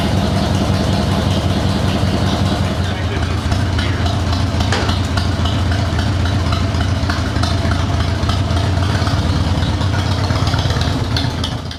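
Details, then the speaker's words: Motorcycle with CV40 carburetor after choke (enrichener) cable replacement, fuel on reserve, full choke, clutch in: catches and settles into a steady, even low thrum with no misses or knocks, then shut off; healthy cold start. "Pull the choke all the way out. Clutch in, key on."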